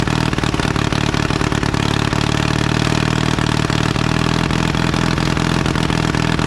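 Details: 1952 Caterpillar D2 crawler, pony engine running after restart, diesel turned over by it: loud rough clatter, steady without fading or stalling; running properly again, steering clutches still frozen.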